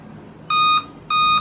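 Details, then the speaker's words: Dell laptop motherboard on bench, speaker attached, no RAM installed: two even high-pitched beeps about half a second apart. Dell 2-beep POST code, no memory detected. "ठीक है beep तो आ रहा है पहले कितना आ रहा था अब कितना आ रहा है दो मतलब अब ये रम मांग रहा है"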